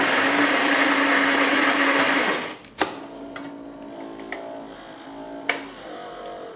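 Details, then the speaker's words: Saeco PicoBaristo SM5478 coffee machine after repair of alternating E03/E04 errors (brew unit drive gearbox and sensor). Steady buzzing grind for two seconds, then clicks and thumps as the brew unit closes. Normal grind and brew cycle. "Zaparzacz się zamknął. Brawo! Jest!"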